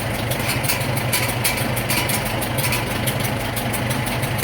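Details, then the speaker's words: 1947 Farmall M tractor, first start after engine rebuild, still needing fine-tuning: steady, even idle with regular low puffs, no knocks or rattles; runs well with good power. "main thing is it runs it runs pretty good got a lot of power and tips here that's for sure"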